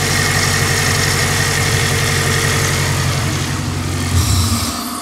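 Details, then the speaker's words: Toyota XRS 2ZZ idling after a timing chain cover gasket job: steady, even idle with a smooth low hum, no misses or knocks, easing off near the end. Normal idle. "she sounds good yeah sounded good dude"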